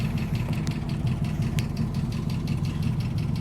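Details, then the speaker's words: 289 V8 at idle after pulling the rocker covers: fast light ticking, nearly three a second, over a steady low idle, with a little smoke from the rocker cover; persistent valve lifter tick the owner wants to eliminate. "after pulling the uh rocker covers and you can still hear the old lifter tick um and that's what that's something I want to try to get rid of"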